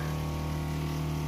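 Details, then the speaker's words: Water heater in a converted vehicle, after disassembly and reassembly, cause of earlier ignition failure unknown: igniter clicks on pressure demand, then steady low hum and smooth water flow rush, no popping; flame on, running normally. "et là à peine il y a un appel de pression on entend le CLI de l'allumeur et on voit que la flamme est en fonction voilà et donc là l'eau tourne correctement"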